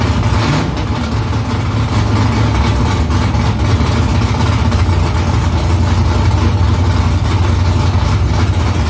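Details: First start after new headers and exhaust conversion, exhaust back under the car. Deep, lumpy V8 rumble with a few throttle blips, firing steady and even. Smoke is from silicone drying around the header. Normal idle and revving.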